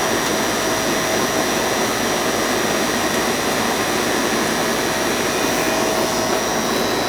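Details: Goodman AC condenser running after its bad, puffy capacitor was replaced: an even fan rush with a constant compressor hum and no stalling or buzzing. It runs normally.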